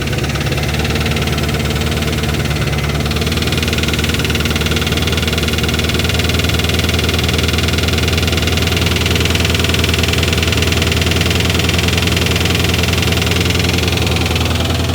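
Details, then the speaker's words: Chevrolet Corvette just after a full exhaust install: loud idle with a quick, uneven ticking clatter about three a second over a deep burble; owner suspects an exhaust leak, may check under the valve cover, not confirmed. "I don't like that noise at all. It might go away. Sounds better. Definitely exhaust leak down there."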